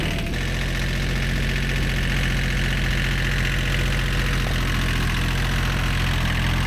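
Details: Old, worn Kubota B7100 diesel tractor at low idle after a gearbox rebuild that replaced chewed-up gears and bearings: a steady, even chug with no knocks, clunks or gear whine; it runs healthy.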